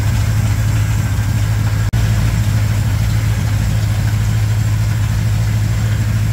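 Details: 1987 Chevrolet K10 squarebody 4x4, V8 idling while warming up on first start after blown head gasket replaced; deep, steady, unbroken rumble, no ticking or misfire. Normal idle.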